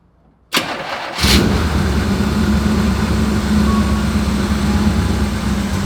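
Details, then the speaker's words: 1965 Chevy Impala, sat unused for over 10 years, after recommissioning: quick crank, catches immediately and settles into a steady, even idle with no misses or knocks; starts much easier than before. "look it starts up way easier now check it"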